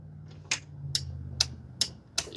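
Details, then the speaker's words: John Deere riding mower, Briggs & Stratton engine; no start, barely cranks, hits a hard stop. Crisp solenoid clicks about twice a second over a low hum after priming with 50:1 gas: the solenoid works normally. Fault was later fixed by valve adjustment. "y'all can hear that solenoid like clicking down there, so that's working."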